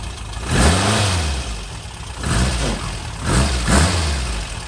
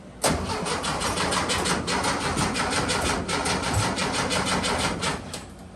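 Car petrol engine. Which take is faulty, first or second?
second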